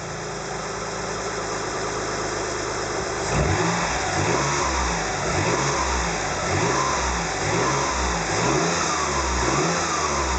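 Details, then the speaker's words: Mitsubishi Legnum VR4 petrol engine revved with all drive belts removed; thin whine rising and falling with revs, loudest on cold start. Alternator replaced without effect; timing belt, water pump, tensioner, idler new. Owner later suspects blown rear turbo. "There are no drive belts on this car. I can see the belt tension, the timing looks pretty good, but it makes this whining noise, so here we go."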